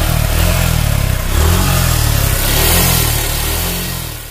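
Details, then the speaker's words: 2020 Suzuki Gixxer FI ABS heading to its 3rd free service: engine blipped hard sounds strained and rough as revs climb, occurring mainly at high rpm; others suggest tappet or timing chain trouble, source not yet found, abnormal engine noise at high rpm. "এই sound প্রবলেমটা mainly হচ্ছে যখন গাড়িটা high আরপিএমে চলে তখন sound প্রবলেমটা হয়, যেরকম গাড়ির অনেক কষ্ট হচ্ছে এরকম বোঝা যায়।"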